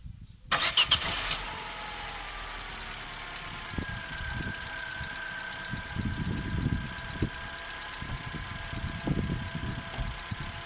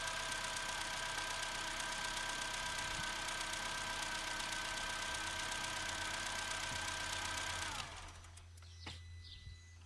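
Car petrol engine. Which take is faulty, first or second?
first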